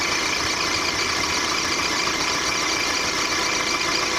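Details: 1.4 litre petrol VW Golf Mark 4 at idle: high thin squeak chirping three to four times a second, owner suspects a drive belt pulley or the water pump.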